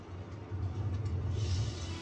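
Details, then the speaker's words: Auction-bought Prevost Vantare Featherlite motorhome, brake slow to stop then hung applied; previous shop mentioned caliper issues: low steady coach rumble, then a sudden airy hiss midway as the stuck brake releases, needs inspection. "there it goes. You hear it release? So we've definitely got something going on there that we need to look at."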